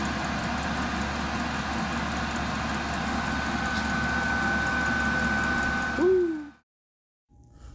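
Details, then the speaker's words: Diesel heater running, with a muffler fitted on its exhaust: a steady low fan hum with a constant whistle above it, which the muffler dampens, then it winds down and stops; normal running. "this thing's not really loud it just makes a kind of a whistling noise and the muffler kind of uh dissipates that Whistling noise so which is great"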